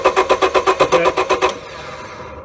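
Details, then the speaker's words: 1999 Honda Civic 1.6 VTEC SOHC, crank no-start: the starter turns evenly at about five compression pulses a second but the engine never fires. The scanner shows RPM, so the crank sensor is good; the coil has ground but gives no spark, pointing to a faulty ignition coil. "so the signal here does look like it's grounding and I'm not getting any spark out of the coil tire here"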